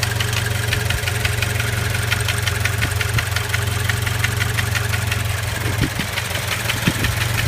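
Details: Scion FR-S/Subaru BRZ/Toyota GT86 boxer at about 70,000 km, warm idle after roughly 20 minutes driving: fast light metallic rattle over the engine note; faulty vacuum pump, fixed by replacement.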